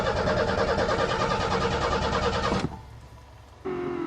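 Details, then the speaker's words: Car unstarted since April, cold snowy December start: steady starter cranking around three beats a second that never catches, then stops; the coil wire had been left disconnected. Crank no start. "I don't hear the fuel pump right in there pardon oh put the coil wire back on I forgot"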